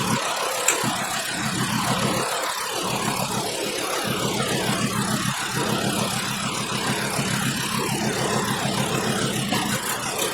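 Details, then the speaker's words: 2012 Volkswagen Jetta 2.5L five-cylinder petrol at idle: uneven lumpy beat with recurring skip; constant single-cylinder misfire stays in the same cylinder after swapping the coil. "Alright, so we still have a skip, so that wasn't the problem, but let's see where the skip is. It's still in this cylinder here."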